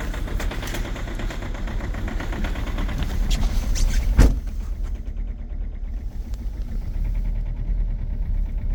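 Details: 2.0 HDi diesel with EGR off, extreme cold start at −20.1°C: harsh, rapid, very strong knocking clatter right after a hard start, easing slightly as revs settle; heavy diesel cold-start knock.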